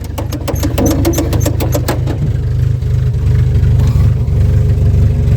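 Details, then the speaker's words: 1964 Chevy II Nova six, sitting about one to two years, first start after pumping the gas. The starter churns about two seconds, then it catches and settles straight into a smooth, even, deep idle; sounds healthy. "There she goes. Yeah, buddy. Well, that was easy. can't believe how good it runs. It's super smooth."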